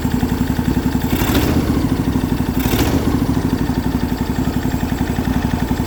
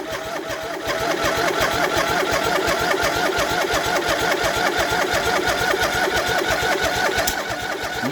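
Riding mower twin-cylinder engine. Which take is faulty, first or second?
second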